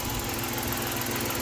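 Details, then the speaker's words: 1990 Dodge Grand Caravan LE after a new muffler was fitted with 2-inch clamps and adapter: steady, even, low idle hum with no puffing, rattle or exhaust blat; quiet, healthy idle. "yeah sounds pretty good all right"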